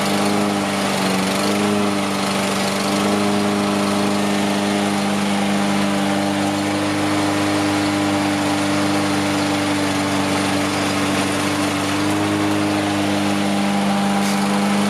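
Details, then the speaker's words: Toro Recycler AWD mower, Briggs & Stratton engine: small single holds steady even hum, constant pitch, no misses or surging; smoke still from oil in muffler, but running a lot better. "It's definitely running a heck of a lot better though."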